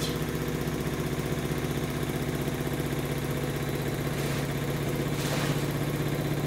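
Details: New Samsung WW10N645RBW washing machine (November 2018), first use after leveling the legs, spin rated 73 dB, about three minutes left: steady low hum with even rhythmic thrum and faint whir, no banging or grinding; drum spins normally.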